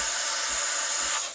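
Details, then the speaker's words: Breville Barista Express BES870 steam wand held at an angle near the milk surface to create a vortex for latte: steady sharp hiss with a faint paper-tearing edge; air being injected properly, normal aeration. "And I'll listen to this sound. I'll try to create a hissing sound. That's how I know I'm injecting air for a latte."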